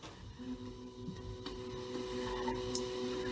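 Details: Water heater switched back on after maintenance, once refilled with cold water: steady fan hum with faint ticking after a quiet start; starts and runs normally.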